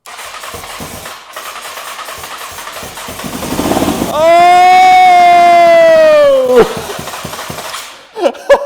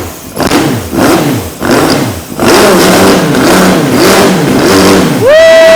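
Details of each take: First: 2003 Honda CBR954RR, sat outside 15 years, first start on starting fluid sprayed in: cranking, then catches with rising howl for two seconds and dies into sharp pops, blowing carbon crud out of the exhaust; first fire. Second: 2003 Honda CBR954RR, sat outside 15 years, rerun after reseating the intake that was not fully on (had caused flames): crisp throttle blips rising and falling freely, holding high revs on a clean steady note, tach rising; normal revving.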